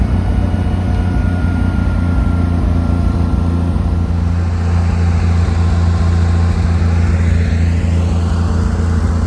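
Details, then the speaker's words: Lincoln SAE 300 welder with Chevy inline-six engine after ignition circuit repair: deep, steady drone holding even speed under welding load, no misses, surging or knocking, idles down smoothly; runs healthy. "I'm really happy that I was able to get it running and Welding it's welding really good and it actually idled down to a pretty smooth idle so perfect running great"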